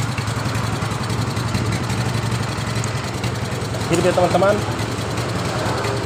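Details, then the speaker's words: Yamaha Mio Sporty scooter idling unevenly, hunting and wavering instead of a steady beat; vacuum fault from air leak at loose intake manifold bolt, which had caused the total no-run; owner reports it feels heavy when riding. "langsam dari motor ini [Musik] susah karena diakibatkan kerusakan di bagian vakumnya"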